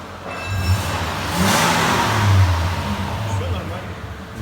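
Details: 2014 Mitsubishi Pajero Sport, 37,019 on the odometer: engine revs up and settles with a steady low hum and no rattle, after a loose torque converter-to-flywheel bolt that caused a metallic grinding rising with rpm was replaced and the bolts tightened.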